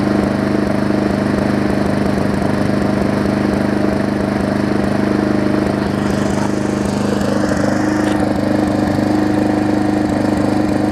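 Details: Briggs & Stratton Classic 500-series push mower engine after swapping onto a Hyper Tough deck: steady, even putter at constant speed with no knocks or stumbles. It runs smoother than the old engine.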